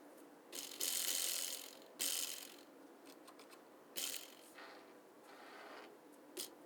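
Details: Shimano Di2 road bike shift lever shaken by hand: dry, light metallic rattles in short bursts, no drivetrain noise; loose free-stroke adjustment nut inside the lever, fixed by adjusting it.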